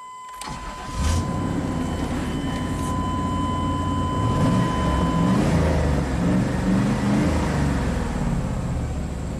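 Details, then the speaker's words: 1998 Chevy 2500 Silverado 5.7 litre, after spark plug reinstalled; uneven lumpy idle with recurring skip, cylinder five misfire counter still climbing, traced to a vacuum leak at the intake gasket. "oh it's still missing let's look at our misfire counters just like i suspected spark plugs don't get followed for no reason yup number five is counting up still"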